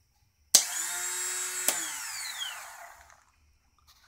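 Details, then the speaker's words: 2001 Triumph Bonneville, was running fine, battery good and on charger: after cranking and a loud noise, a sharp clack then a high whir winding down with no engine turning; starter spins free, solenoid clicking, cranking mechanism not engaging. "went to start it it was cranking cranking made a loud noise and now it's just making a whirring noise"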